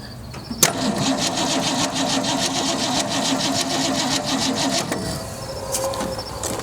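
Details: Abandoned 1965 Mustang, 289 2V V8 with 4-speed manual, after 30 years in a junkyard, with new points and condenser: steady starter whirr with a quick uneven rhythm, engine spinning over but never catching; cranks, no start, spark present.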